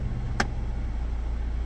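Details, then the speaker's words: 2016 Jeep Compass: single sharp click in the AC vents over a steady idle hum when recirculation is selected with the AC on, sometimes more frequent; failing HVAC recirculation door actuator, to be replaced with a Mopar-fit actuator. "Muy bien pues ese sonido es precisamente el actuador del aire acondicionado vamos a proceder a cambiarlo"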